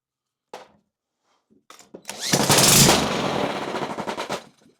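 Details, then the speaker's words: Honda GX160 that had been sitting, after valve adjustment, new spark plug and good spark confirmed: a few sharp pops, then seconds of rough, ragged firing that dies away; sputters but won't keep running, carburettor next to be inspected. "Oh yeah. And by the way, that's dangerous, guys. Very dangerous. She looks like she's gonna run."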